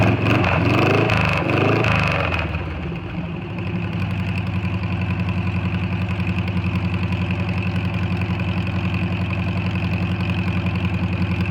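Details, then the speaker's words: Air-cooled VW Bug after valve adjustment, advanced timing and a retuned carburetor, with the earlier white exhaust smoke now gone: brief rev, then an even, steady chug with no stumbling or dying; owner feels it runs pretty good. "i'm gonna fire it up so you guys can hear it um let me know what you guys think let me know if you hear anything or anything anything that might be concerning or any tips that you guys might have on to make it run a little bit better but uh i feel like it's running uh pretty good right now"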